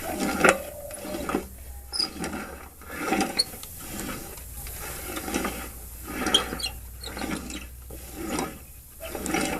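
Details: Pulley separated and turned slowly by hand: rough, sandy scraping bursts instead of a smooth spin, like sand in the bearings; worn pulley bearing suspected, not confirmed.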